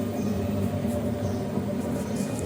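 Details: 10 kg LG direct-drive front-load washing machine: loud, steady low rumble from the spinning drum, heard far away per the customer; suspected worn drum bearings.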